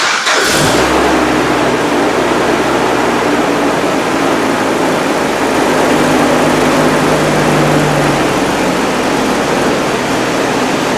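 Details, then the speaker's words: GM Vortec engine project, petrol, no coolant in it, revving after first start: catches and runs up with a rough, uneven note that never clears, as if short of fuel to hold revs; owner suspects the fuel pump, unconfirmed. "is sweet as enough but I think it's not going to fuel I think the rubber poops of the good definitely the pump"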